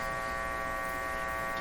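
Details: Philco 38-C7 tube radio with IF aligned: steady, unchanging electrical hum with a buzzy edge and no signal; persistent hum, cause not yet found, dial bulbs in circuit ruled out.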